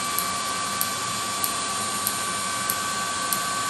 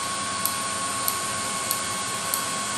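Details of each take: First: 30k BTU multi-fuel personal cab heater on an M35A2 deuce and a half, start button held during start-up: steady fan roar with crisp even ticks about every 0.6 s, the fuel metering valve spraying fuel into the combustion chamber; normal. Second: 30k BTU multi-fuel personal cab heater on an M35A2 deuce and a half, running: steady roaring hiss with a sharp tick about every 0.6 seconds, possibly running slow; owner thinks the batteries are getting low.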